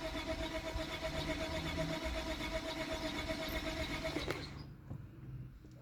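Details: Lexus IS250: starter spins the engine at about four even pulses a second for four seconds but it never catches; crank no start.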